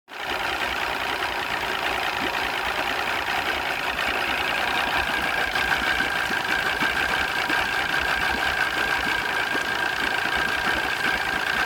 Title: Mariner 200 EFI rough idle 1